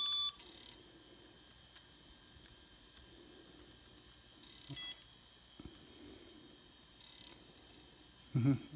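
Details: Toshiba T4500C laptop (had P30 error) powered on after reassembly: short, high-pitched beeps at power-on over a quiet room, then it carries on booting; a normal startup POST beep.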